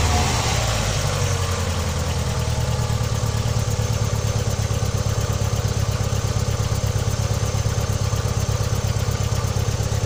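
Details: Opel Vectra B engine at steady idle with a fast, uneven pulsing beat under the engine note; source unclear; abnormal engine noise at idle.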